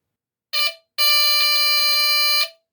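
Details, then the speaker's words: Replacement mechanical buzzer for a postwar Lionel diesel horn, bench-tested on 6 volts from four 1.5V batteries in a holder: a short blip, then a steady loud reedy buzz of about 1.5 seconds, clean and even. Same result as 9V. Normal operation. "So with these ones hooked up to this, you get the same result, which is really cool, I think."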